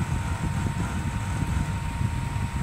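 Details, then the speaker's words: Heated bathroom heater-fan (浴霸) blower motor after oiling its bearing wick: still loud for a short while at startup, heavy low droning rumble with faint tone above, then settles; oiling didn't help, motor needs replacing. "就启动了一小会儿，启动一小会儿有那么大的声音，然后就好了，说明这个加油解决不了问题，那就是需要换电机了，"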